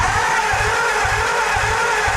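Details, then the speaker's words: 1949 Ford, a farm find, cranking on 12 volts instead of 6 volts. Fast, slightly uneven pulses about twice a second under a loud whirring whine; the starter sounds strained. Cause suspected, not confirmed. "I don't know about you guys but that starter doesn't sound like it's having a good time"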